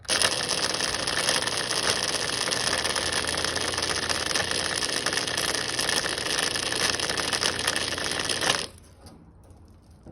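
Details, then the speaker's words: LG direct-drive washer drain pump bench-tested with 120 V fed directly to its terminals; it measured 10.9 ohms versus 11.6. Rough, crunchy grinding until the power is cut; the bearings are completely gone and the pump is weak, draining too slowly. "if you can hear that it sounds terrible I would say that the bearings it sounds very crunchy I would say that the bearings are completely gone"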